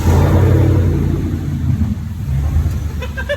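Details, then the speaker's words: 2019-2021 Chevrolet Silverado 1500 during DIY cold air intake install with intake air sensor unplugged: runs loud and lumpy, then sags and stumbles and dies; truck does not like missing its sensor. "That's not a good sound at all. It dies too."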